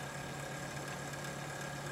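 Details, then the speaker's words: Antec computer case, rear fan, likely 120 mm: steady fan hum with fine rhythmic rasp pulsing through it; failing case fan starting to grind, to be replaced. "a little bit of a grinding sound. I don't know if you can hear that. So I'm going to have to try to attempt to replace this fan."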